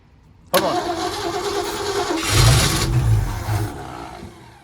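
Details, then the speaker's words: 1951 Ford F1 first start, oil pressure confirmed, fuel pump not yet working: cranks, catches with rough uneven roar for about three seconds then dies; fires briefly, likely out of gas. "yeah we just need gas we need to probably get some gas and she's a runner but man that off I don't know you've done a burnout in the air well it started out once the gas got finished already running"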